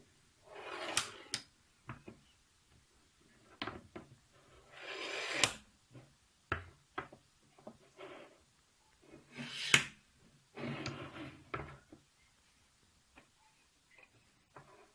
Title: eBay CNC rail with a bad bearing block